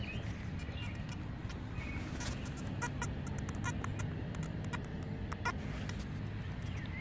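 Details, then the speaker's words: Makro Multi Kruzer metal detector set down untouched, left in 4-tone mode: scattered high chirps and clicks over a low hum; constant background chirping from running hot, which switching to 3-tone silences. "that's what I'm listening to the whole time I'm talking to you guys, because I left the machine in 4-tone."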